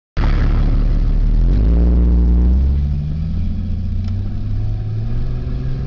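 Engine revs then settles to an uneven, lumpy low rumble with an irregular beat; sounds like a misfire, cause not evident.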